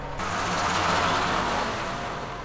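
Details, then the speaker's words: Case 5130 tractor (about 1995) with Cummins 5.9 12-valve diesel, running after a starter replacement: steady diesel rumble with an even hiss on top, no knocks or misses; starter fixed, running normally. "let's see boom yeah fixed it so that is how you swap a starter on a cumins 59 or a case 5130 tractor like a 95 model"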